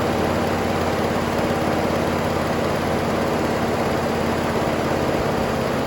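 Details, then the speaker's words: 1966 Pontiac Grand Prix 389 four-barrel V8, first start since 1992, fresh oil, carb filter screen removed: steady even idle with a light quick tick keeping time with engine speed, slight blow-by; owner hopes tick goes away. "a runner pretty bad tick it's gonna go away I put fresh oil in it a little blow by it actually doesn't sound bad except for that tick"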